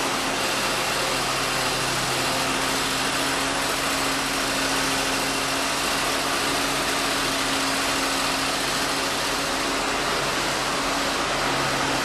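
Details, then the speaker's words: 1948 Ford F-5 truck, cold start after sitting unrun for over a year, on choke: steady, even idle with a constant hum and no misses, knocks or hunting; the engine is running healthy. "Well, okay, that's a good start. I like it. I'm happy."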